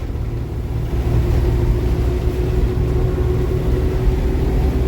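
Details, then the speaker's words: Force Tempo Traveller CR-V16 FM2.6 after rear differential repair (housing had a hole, jerked badly on gear changes): even low road rumble under way, no clunk, jerk or whine from the rear; driveline now normal. "गाड़ी पूरा clutch plate को झटका लगता था पीछे Sloane को झटका लगता था तो अब तो बिल्कुल ओके है"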